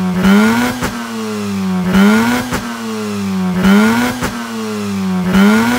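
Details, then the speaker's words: Mazda RX-8 rotary after replacing the ignition coils with cheap eBay coils, misfire on cylinder 1 before: sharp blips rising and falling cleanly about every 1.5 seconds with no stutter; it started at 2000 rpm and idles smoothly. "It started, guys. The RPMs are at 2000. And they're slowly dropping. I don't know if this is too soon to say, but this sounds smooth. Like, this sounds like very smooth idle."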